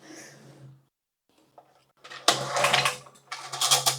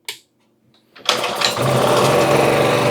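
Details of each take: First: Used 2000-watt generator, fuel on, switch on, fresh oil: repeated recoil pulls with no catch or firing; no start, carburetor at fault. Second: 2000-watt portable generator, sat a couple of years, fitted with a new carburetor, started on full choke: catches on the first pull and settles into a steady even buzz; normal start.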